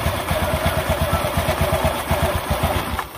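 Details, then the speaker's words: Honda Beat ESP scooter, never serviced, brought in for a starter fault: after starting, small single-cylinder engine putters at a steady, even beat of roughly six pulses a second; normal idle. "Oke ini sudah hidup hidup normal Saya rasa ini sudah bisa dibuat jalan ya"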